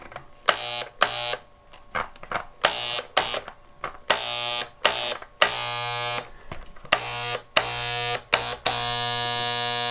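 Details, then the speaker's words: Harbor Freight paint gun, built like a Wagner power sprayer, reassembled after deep cleaning with a cleaned atomizer, cone and pickup tube: loud, steady buzz that starts and stops cleanly with each trigger pull. This is how it should sound. "Morgan that's what it should sound like"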